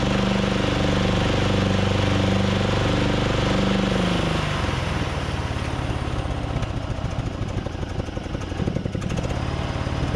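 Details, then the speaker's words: Craftsman DYT4000 riding mower, Briggs & Stratton engine, cold start, engaging electric PTO deck with new belt; drone sags to a rough chug, nearly stalling; bogging blamed on carb issues or freeing spindles, not confirmed. "yeah you guys heard it try to stall out there i think it was just kind of getting everything uh in place"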